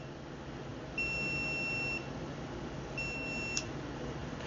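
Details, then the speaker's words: Stacyc 12/16 eDrive kids' electric balance bike running an aftermarket Makita battery. The throttle shows a red code and long, steady beeps sound, about one second on and off. Cause is either a hot battery or a fault in the battery recognition circuit. "so we'll turn it on and you'll see the red and you could hear that beeping so this is either going to be hot battery or an issue with the battery in the recognition circuit"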